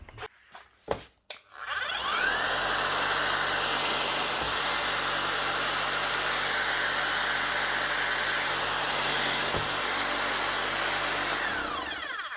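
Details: Bosch GSH 5 CE demolition hammer under a year old, after a warranty repair for catastrophic gearbox failure with a new motor fitted: spins up into a fast, even hammering rattle at steady pitch and winds down cleanly; normal hammering.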